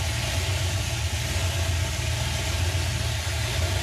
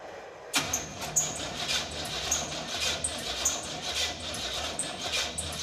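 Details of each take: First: 1950 Ford F6 dump truck, first attempt to drive in about 7 years after fuel system fixes: low, even idle thump with every cylinder working, no miss or tapping; running right. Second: 1950 Ford F6 dump truck with no spark, MSD ignition not firing: slow, labored cranking with a sharp chirping squeak about every half second; one cylinder barely pumping, weak compression.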